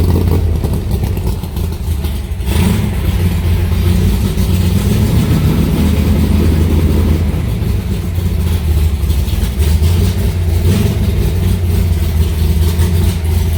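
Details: Alumacobra (Cobra) V8 started in the garage after sitting two months, to get oil running through the engine; it fired right up and settled into a deep, steady burble with an even beat and no knocks or misses. Healthy idle.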